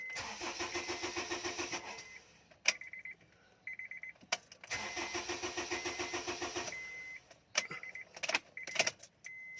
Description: HONDA CRV 2010 MODEL: ENGINE CRANKING BUT WON'T START ( MADALI LANG PO ITONG GAWIN )